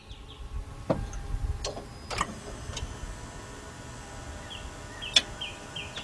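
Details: Lexus LS460 cranking attempt with a jumper ground from the starter to the engine and body: only a few isolated sharp clicks and chiming from the dash, no cranking at all; power reaches the starter but it fails to turn.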